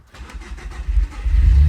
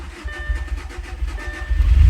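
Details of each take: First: B7 Audi A4 2.0T EA113 after low-pressure fuel pump gasket replacement, ignition cycled five times to build pressure. Brief crank, quick catch, low idle slightly rough as the car has been doing lately, settling quickly; healthy start. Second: B7 Audi A4 2.0T EA113, run to relieve fuel pressure before LPFP gasket replacement: low drone wavering and surging unevenly, idle hunting and faltering as if starved of fuel; being left to run until it dies.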